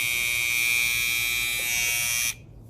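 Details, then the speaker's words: Babyliss Pro FX cordless trimmer running free with a harsh, loud, steady high buzz. The cause is a worn small plastic drive piece under the blade. "so that's that's the loudness i was talking about"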